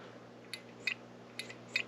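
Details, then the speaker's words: Furnace pressure switch checked by lightly blowing into the pressure port and sucking on the vacuum port via hose: light sharp ticks in pairs over a low hum as contacts snap; diaphragm intact, switch working. "and you can hear that clicking. If you switch the hose to the vacuum side, do the same thing and just lightly suck on it, and you can also hear it clicking. It's just a quick check to see that it's working, the diaphragm in there isn't broken."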